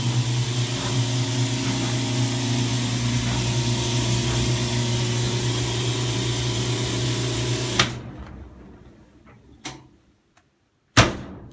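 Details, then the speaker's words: Whirlpool Cabrio dryer, 1.5 years old, about halfway through a drying cycle. There is a steady hum with a busy rattle that stops when the door opens. It has persisted for 4 months despite cleaning the vent and tightening screws. "I have a whirlpool cabrio here and it's been making this rattling sound for a while it usually happens about halfway through"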